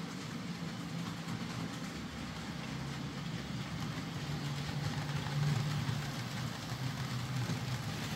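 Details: Hornby J15 model loco, slow and noisy since bought new about two years ago; after motor replacement and regreased worm gear, soft steady low hum, faint gear rumble, no rattle: now running a lot quieter and smoother, normal smooth running.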